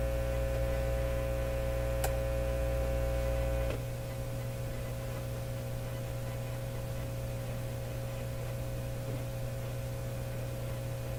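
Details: Nordmende Elektra F13 tube radio gone quiet after about half an hour of running, with positive voltage on the output tube grid (about +1.3 V): steady low hum that quietens slightly. Mains hum; technician suspects a radio stage rather than the output stage.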